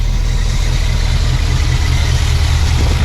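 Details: Suburban V8 fitted with a new Evil Energy 600 CFM carburetor, bolted on in about 30 minutes. It started first try and is holding a deep, even low rumble at idle with no misses, surging or hunting. Normal idle, no fuel leaks, fuel pressure about 6 PSI.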